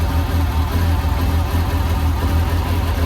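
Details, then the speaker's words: Renault Clio 182 with replacement engine just fitted, auxiliary belt left off, jump-started, first start: low lumpy idle with uneven pulses and occasional stumbles, stuttery but running; rough running, cause unknown. "It's a bit It's a bit stuttery, but it starts. That's a bonus."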